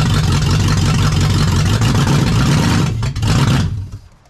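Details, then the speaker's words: Jeep KJ with a swapped Lexus UZFE V8, SKIM immobilizer deleted and a push-start button kit wired in. First startup: a deep V8 rumble pulls strongly and runs evenly, then shuts off; sounds healthy. "next button is ignition but it won't start the Jeep because you have to press in your brake as well so let's start the"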